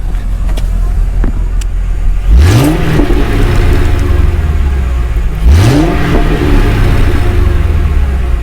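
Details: Inside the cabin of a 2006 Mercury Grand Marquis V8 after an OEM dual-exhaust swap with the rear cats deleted; debris, possibly left by critters, is still blowing out. Two clean revs with a deep, smooth rumble, no rattles or leaks: normal.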